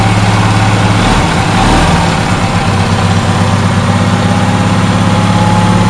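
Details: Onan twin engine after repair: the fuel-pump-side cylinder wasn't firing because a loose spark plug was losing compression. Once tightened, it settles into a smooth, even low thrum with no missing pulses, both cylinders firing properly.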